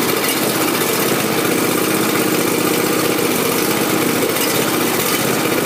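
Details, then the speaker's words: John Deere Z375R ZTrak zero-turn mower running with throttle up after fuel filter replacement, checking for leaks; steady, even engine speed with no knocks, misses or surging, normal idle. "Now we're going to go and start it up, and then we'll immediately check for leaks. Here we're going to go and start it, and then we'll check for leaks."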